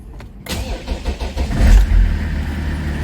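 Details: BMW E60/E61 previously no ignition, no crank, no start (CAS suspected), after repair: short starter whir, engine catches within a second and settles to steady even idle; normal start.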